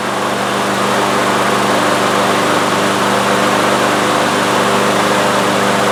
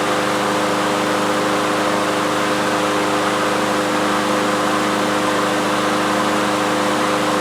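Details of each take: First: Troy-Bilt TB360 mower with a Briggs & Stratton Quantum engine, unused for 3 years and not starting, after starting fluid was sprayed into the intake and the rope pulled: a steady, busy buzz that keeps running without dying. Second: Troy-Bilt TB360 mower with Briggs & Stratton Quantum engine, unused for 3 years, started with air cleaner off to check automatic choke opening as it warms: steady even drone, no stumbling or surging, normal idle.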